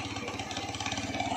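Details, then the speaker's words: Chinese Jeling motorcycle engine, said to match a Honda Astrea Grand, with oil seeping: quick, even clatter at idle from inside the engine that goes quiet when revved and returns as throttle drops; engine knock at idle, cause not yet known, oil change planned. "Nah kalau digas enggak enggak bunyi ya Tuh tapi kalau gasnya turun agak bunyih"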